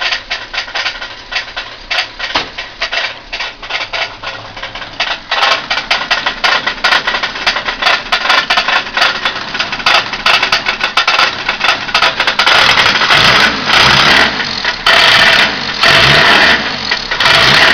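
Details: Ford Capri 2.0 Pinto engine, newly fitted, idling with a sharp, uneven knocking clatter that grows louder. Owner is unsure whether it is bottom-end failure or something knocking elsewhere.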